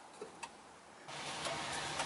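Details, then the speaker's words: Firus car during turn signal and reverse light wiring: two faint, sharp ticks a quarter second apart then steady hiss; an unexplained phantom click, source not found, hoped to be fixed by rewiring. "I couldn't solve the phantom click and same with this display is just on"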